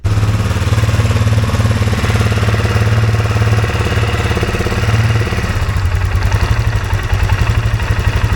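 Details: 2023 Polaris Sportsman 570 idling near 2000 rpm instead of about 1200, hard to shift. A gap between the minimum throttle stop and the throttle plate holds it open. Fast, steady idle drone drops as the plate is pushed closed by hand.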